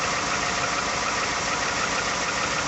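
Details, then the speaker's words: 2018 Ford F-150 3rd-gen 5.0 V8, about 108,000 miles, original engine, maintenance only: cold start after sitting outside a couple hours at about 37°F. Steady cold idle with a light, quick knock on top, cause undetermined. Engine knock at cold idle. "cold start it's been sitting outside for a couple hours and i think it's like 37 degrees we're in pennsylvania in december still got the same knock"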